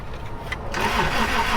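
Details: 1996 Toyota Tacoma 3.4 after lying on its side, fuel pump now running: engine catches briefly and sputters with uneven cranking rhythm but won't keep running; crank no start, cam timing suspected to have jumped.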